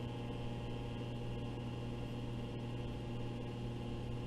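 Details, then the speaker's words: Hydraulic pump of a tensile test machine started with the green button to float the loading table up 0.5 inch before steel tensile tests: steady low hum at constant tone, no surging or knocking; normal running. "float the table by going to this selection right here go to 0.5 inch but nothing's going to happen until i start the pump so to turn on the pump i press the green button here"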